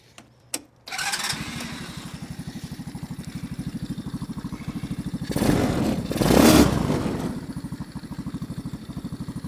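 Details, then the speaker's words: Tao Motor Jeep 110cc go kart, 107cc air-cooled 4-stroke single, just fitted with new PZ-19 carburetor, started unchoked: fires after short crank, settles to even steady putter about three to four beats a second; runs cleanly, idle could go up slightly. "Okay, that's good to go. Um, maybe turn the idle up a little bit."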